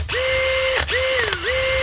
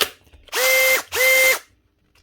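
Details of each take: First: Heavily used factory Makita DHP483 18V compact drill after repair with a new switch, a 604 bearing to quiet it, grease, a clean and a new chuck: a clean, even whine spins up, holds, dips briefly and recovers with no grinding, a healthy drill. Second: Heavily used factory Makita DHP483 18V compact drill before repair: short bursts of a high, gritty whir with a squeal on each run. A bearing is suspected gone or rubbing, and the faulty switch gives no variable speed.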